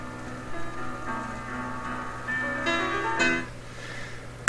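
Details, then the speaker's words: Crosley CR-49 record player playing piano: sustained notes waver quickly in pitch, a fast speed flutter in the drive. The flutter is suspected to be spindle-related, not confirmed. "you know this is this is never gonna sound great the flutter is fast must be related to the spindle in some way"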